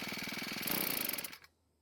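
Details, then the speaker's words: Cub Cadet four-stroke trimmer with low 60 PSI compression, warmed up some: fast buzzy firing that wavers, then dies on its own after about 1.5 seconds. The carburetor mixture may need adjusting. "so what was running pretty well but it did stop on its own which means we might have to make a quick adjustment to the carb"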